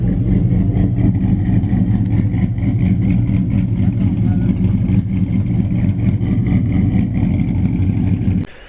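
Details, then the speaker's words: Big-cam 5.3 V8 on its first start after being installed in a truck: a deep, choppy lope of about two beats a second that stays steady, idling cleanly now that it runs better. "It's firing though. Really pissed off. Huh. It sounds pissed off now. Yeah, that sounds a lot better."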